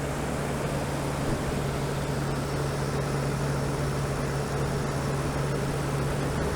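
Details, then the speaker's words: 2015 Toyota Tundra cold idle just after fan clutch replacement; loud steady air rush over even idle hum as the tight new clutch blows hard until it loosens, no squeal: normal cold engagement. "so right now we got a lot of air flowing because the clutch is pretty tight. Especially if the truck's cold, it'll blow really hard at first until it loosens up."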